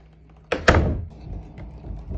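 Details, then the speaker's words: House door that used to rattle, after prying out the strike plate tab: one solid thunk as it shuts and latches, then quiet with no buzz or rattle; the door now sits tight in its frame. "it's fixed. So easy, a two-year-old could do it."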